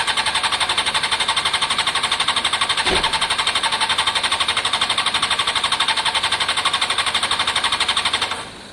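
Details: Honda CBR600 F4i fuel-injected, crash-damaged seven or eight years ago, non-runner, after injector cleaning with fresh fuel; starter cranks evenly about four strokes a second for eight seconds, never catches; crank no start, fuel pump, possibly in tank, suspected, not heard priming.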